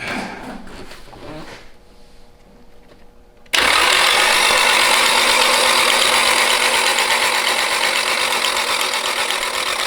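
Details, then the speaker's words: Nissan 240SX S13 with SR20DET, long abandoned, cranked on the starter with the fuel pump disconnected to get oil through before the first start: a fast, regular, dry mechanical clatter of about three beats a second. Unusual mechanical noise while cranking, cause unclear. "nothing yet all right doesn't sound great okay it's gonna take a while i hope not a little different mechanical noise"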